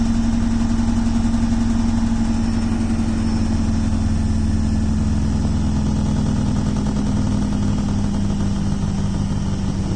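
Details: Beko WTK washing machine running: steady motor hum with a new, busy, uneven rattling noise on top.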